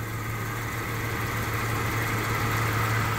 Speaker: wow there we go guys beautiful oil pressure hot idle right dead center perfect this baby is purring like a kitten